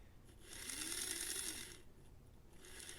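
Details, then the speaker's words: Tyco Mantua 462 B&O model steam locomotive, unrun for about 50 years, with oxidized contacts and poor tender pickup. Power applied directly to the wire makes the small motor spin freely on the bench with a thin whirring hum. Normal running. "if we put it directly on this piece of metal here which is the wire you can see it's springing the life"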